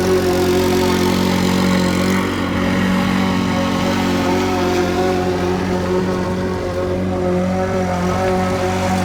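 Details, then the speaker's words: Curbside Craftsman push mower after carburetor removed and cleaned, run under load; a bit of the carburetor gasket broke off. Single-cylinder engine holds a steady, even drone with no surging or stumbling; normal running under load. "That sounds much better."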